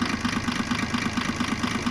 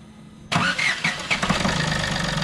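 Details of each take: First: Diesel car idling with a steady, sharp injector clatter about eleven times a second over the engine hum; injector noise grew after a fuel additive was put in the tank, and injectors are to be removed. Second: Diesel car test-started after a remedy for fuel-additive-related injector noise and running problems: quick crank, instant catch, then steady clattery idle with no stumbles; normal diesel start.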